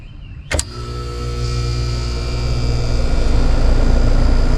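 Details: Heat pump compressor that tripped the breaker on start, after replacing a burnt relay: a sharp contactor click, then the compressor hum builds to a steady, even run with no stalling or chatter.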